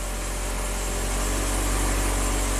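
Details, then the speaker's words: 1997 Kia Sportage 4x4 after surging-idle repair: low, steady idle with no surging or hunting, smooth and settled; TPS steady at 11, fuel trims within 3% under slight preload, believed fixed pending test drive. "Still within 3%. I really think this little truck is fixed here, but we'll take it on a good test drive and make sure."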